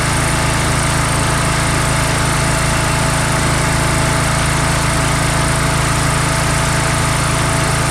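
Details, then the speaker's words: Swisher rough-cut mower, blades engaged remotely, cutting tall grass: loud, steady small-engine drone holding even speed; normal running under load. "Hit number 2, we're going to engage it. You can feel a little shake there. That engages the mower."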